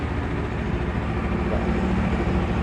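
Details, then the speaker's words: Honda CBR250 fuel-injected motorcycle with newly installed anti-theft alarm, after unlocking via remote: starter engages and engine runs at a steady, even low idle, no knocks or misses; normal start and idle. "Starter normal ya, hidup."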